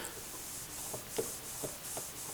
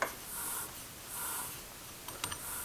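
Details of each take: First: Old wheel bearing from the daily-driver car, hand-rotated in a vise after removal, still tight: faint dry rubbing with soft irregular clicks, causing a low whomping noise in the cabin that increased with speed. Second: New replacement wheel bearing hand-spun in a vise: quiet, even whirring hiss with no crunching, grinding or catching, unlike the old clicking bearing that caused cabin whomping.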